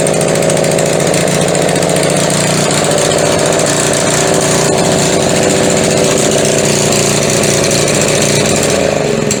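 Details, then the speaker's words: McLane edger, older carburetor with diaphragm, cold start after sitting: rough buzzy small engine whose pace wavers and sags instead of holding steady, either full throttle or nothing; throttle surging, linkage suspected sticking, carb diaphragm later replaced. "यह बहुत दिलचस्प है ऐसा लगता है कि हम अपने लिंकेज पर थोड़ा सा लटका सकते हैं क्योंकि वह या तो खुली हुई थी या बिल्कुल नहीं।"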